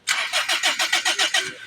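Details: Car that won't start: even starter cranking at around six turns a second with no firing at all before it stops. The cause found was a failed, damaged crankshaft position sensor. Crank, no start.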